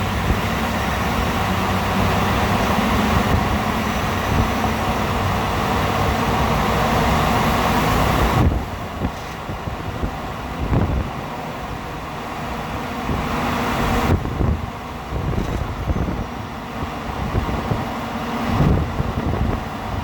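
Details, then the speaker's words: 2018 Ford F150 5.0 10-speed 4x4, cold start after sitting overnight: engine pulls under load, then on throttle lift-off an uneven ratcheting rattle; happens every time, louder cold, dealer can't identify cause, issue since 9k miles. "When I take my foot off the gas pedal, it makes a ratcheting sound. Ford can't figure out what it is."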